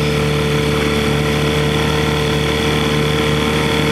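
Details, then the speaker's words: 1968 Johnson 6hp outboard on a stand, after its speed adjustment was leaned out a bit, holds a steady, even drone with no misses or surging; it runs clean and smooth. "That is a cruiser."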